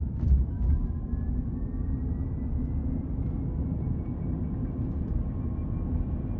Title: Foundation AWD Cybertruck Whine/Rattle Noise